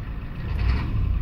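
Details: Ford 7.3 IDI diesel after governor length adjustment: low, even rumble at about 760 rpm low idle, down from about 830, no misses or knocks; smooth steady normal idle.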